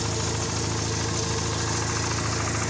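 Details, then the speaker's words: VW Gol with CHT engine at idle, valves already adjusted. A fast, light ticking rides over the idle and is easily taken for valve noise, but it comes from play in the clutch release shaft at its support. "Então galera o eixo aqui da embreagem ó tá com uma folga aqui ó ó tá batendo ó ó a gente acho que é válvula entendeu"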